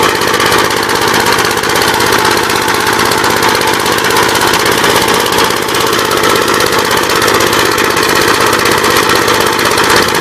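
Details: 1959 Gravely LI single-cylinder engine with 20-over piston, oil had been mostly water, reassembled with PTO back on; fast even steady firing with no misses, knocks or surging, running normally.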